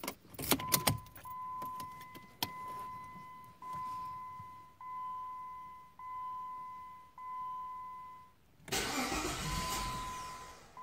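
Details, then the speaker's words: Jeep WK/XK 3.7L V6, hot restart about five minutes after shutdown: a key-in chime pings, then a couple of seconds of rough cranking that never fires. The fault never occurs when cold; the owner diagnosed the crankshaft position sensor and replaced it. "I stopped by the store grab something real quick five minutes come back in and basically she makes that horrible noise and she won't start so the sort of like intermittent start"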